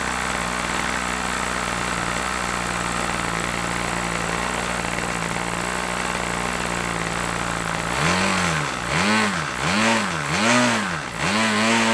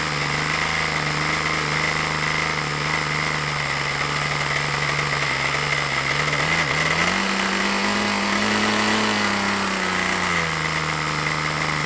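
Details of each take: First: OS LA40 nitro glow engine on a trainer plane, first start after months sitting, run slightly rich then leaned back: steady high buzz that swings up and down crisply with throttle blips; clean response, normal running. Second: OS LA40 glow engine on an RC trainer plane, first test run of a used engine: steady buzzing tone that wavers and rises, slightly burbly rather than crisp; sounds rich, to be leaned back, cause unconfirmed.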